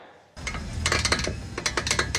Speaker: 这个声音就是半轴的外球笼在响